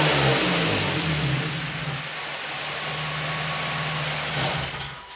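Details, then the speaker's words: Infiniti G35 drift car, first start of its new low-mileage engine, with high-flow cats and a Godspeed exhaust. Loud raspy exhaust climbs on the rev and settles to a steady idle, no knocks or rattles. Normal start and revving. "Well, it's definitely loud if it don't do anything else."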